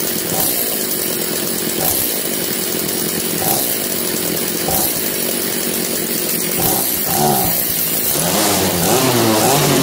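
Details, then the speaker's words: Echo CS330T top-handle chainsaw, just revived, no bar or chain fitted: small two-stroke revs up in repeated bursts about every 1.5 s, centrifugal clutch grabbing the drum cleanly; healthy revving. "You'll see when I squeeze the trigger. That's how a centrifugal clutch works. Certain RPM, the springs, that piece in the middle will go out and grab this drum, which drives the chain."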